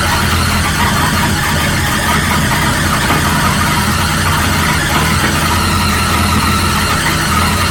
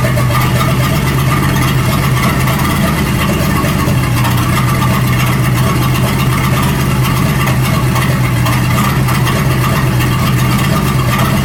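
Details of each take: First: 1937 Buick Roadmaster at a fast, steady idle that never settles, with a thin squeal on top; an unused starter solenoid holds the throttle open too far regardless of idle screw setting and gets disconnected. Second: 1937 Buick Roadmaster with an apparently rebuilt Stromberg carburetor, after the idle screw and idle mixture screw were set: a smooth, even low idle with no hunting or misses. It sounds much better but still needs fine tuning. Normal idle.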